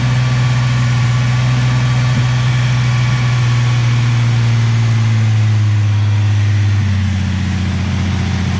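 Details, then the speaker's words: Nissan 350Z engine's first start after replacing the upper oil pan, damaged because of a leaking oil pressure sensor now refitted with thread locker; lots of white smoke. Steady, even idle with a deep low hum, slight settling pitch drop as it warms. "We have fluids in there now, so at this point I think it's time that we give her a start."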